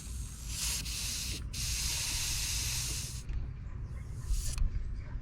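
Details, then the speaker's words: 2020 GMC Sierra with Ridetech lowering kit and helper air bags: steady hiss of air venting from the helper bags in two bursts, let down from about 50 to roughly 8-10 psi; normal controlled deflation. "we're down to about 10. maybe eight it's really hard to control right here this isn't the sturdiest place but it's doing okay"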